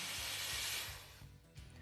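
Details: Carico Clean Machine steam cleaner working properly: strong steady hiss of steam jetting from the nozzle with the variable steam valve opened, fading out with a low hum underneath.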